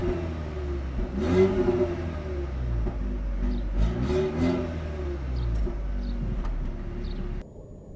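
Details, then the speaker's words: 2019 Renault Grand Scenic TCe 160, 1.3 turbo petrol, 160 hp, EDC automatic, driving, heard from the cabin: quiet smooth hum swelling evenly with throttle under road noise; nearly silent even under harder throttle, running normally. "silnik jest yyy wręcz bezszelestnie przy spokojnej jeździe nawet mocniejsze zaciśnięcie gazu nie spowoduje znaczącego zmniejszenie hałasu w kabinie"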